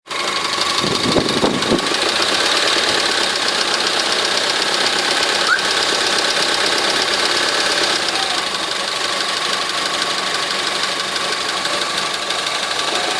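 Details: Honda 4D engine at idle: steady fast ticking knock about four per second through a bright rattly idle; engine knock, source unknown.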